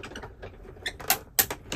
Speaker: don't have to go all the way just over that die you hear that crunching clicking that's all okay but see I had my die kind of lined up straight and you could hear that clicking that is a speed bump